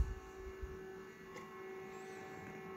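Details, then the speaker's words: APC Back-UPS 1600VA (BX1600MI) stock ADDA fan: quiet constant mid-pitched hum over soft airflow hiss, fan vibration buzzing plastic-to-plastic without dampers; too loud, to be replaced with Noctua NF-A6x25. "So you've seen that you you've heard that vibration and how bad it is. Yeah, it's a good fan. Produces a lot of air flow, but it's just too damn loud."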